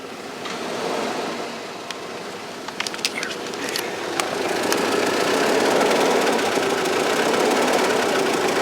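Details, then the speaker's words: 1995 Cadillac Fleetwood Brougham at cold start idle: steady, even chugging at about four beats a second over the engine, not normal; owner suspects a hole in the muffler, unconfirmed; chugging exhaust noise. "noise you hear that yeah that sound isn't normal I think there's a a hole in the muffler or something"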